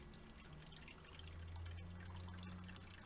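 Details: Small Chinese ice maker on the bench after cleaning the screw and stainless plate: quiet, steady trickle of water runs in without sputtering or stopping; taking water normally on its timer.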